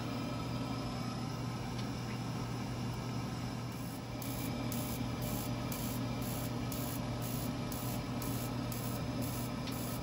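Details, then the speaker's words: Burnham Alpine boiler, about 10 years old, in Hard Lockout Error 25 with no heat, Sage controller suspected; steady fan hum and faint rapid igniter ticking, frayed wire noted, but no burner rumble follows; failed ignition, no light-off. "đang cố đánh lửa chúng tôi đánh lửa có một sợi dây bị sờn ngay đó mà tiếng ồn nhỏ nó không tạo ra tiếng ầm ầm nên đó là điều không bình thường"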